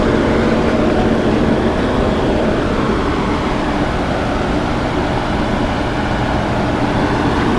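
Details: Old Monarch lathe running at 34 RPM with the clutch engaged: only a smooth, steady motor hum with a faint constant tone, no knocking, rattling or grinding. Healthy, quiet running.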